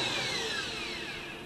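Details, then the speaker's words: Scarlett SC-280 1600 W vacuum cleaner motor after water and dirt damage, bearings and power regulator replaced: smooth, steady falling whine on coast-down, no rattle or scraping, stops softly; normal motor run-down. "чётко посторонних шумов нету останавливается мягко"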